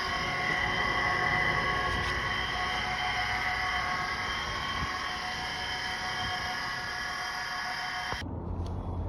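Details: 2014 Chevy Sonic running quietly with a steady high whine that doesn't change pitch, then cuts off sharply; failing alternator.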